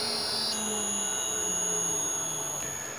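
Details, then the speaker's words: Leeson 1800 RPM D80 lathe motor on Teco-Westinghouse L510 1HP VFD in sensorless vector mode; thin high steady whistle above motor hum, blamed on the drive's factory-default low carrier frequency. "the other thing you can hear here that's going on you can just hear this thing whistling and that's because the commutation frequency is set to probably five Hertz from the factory"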